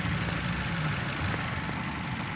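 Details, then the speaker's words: Engine with unstable idle and misfire, vacuum probes on exhaust pipe and dipstick tube: low, lumpy idle with a slight stumble. A poorly sealing exhaust valve leaks pressure, giving a high signal and unbalancing the engine. Rough idle from leaking exhaust valve. "entonces aquí tenemos una válvula de escape que está sellando mal por eso es que deja escapar con presión y por eso tenemos una señal alta en este"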